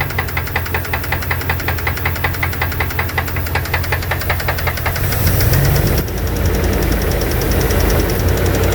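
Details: 2002 Dodge Dakota 4.7 litre at idle: sharp, regular tapping about two and a half times a second over a steady idle; owner suspects lifters or piston slap, unconfirmed.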